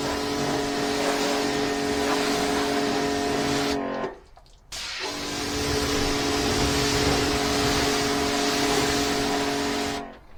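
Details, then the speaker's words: V-Tuf V5 pressure washer with induction motor, switched on and spraying: steady, even motor hum with smooth pump tone, brief stop then restart, no knocks or rattles; runs healthy. "so I think you're going to agree that's night and day that is a completely different machine"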